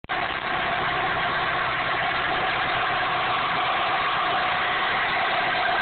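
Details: 1998 Dodge Neon 2.0L DOHC engine running with a constant high whine over the motor hum that rises with revs; owner suspects the water pump.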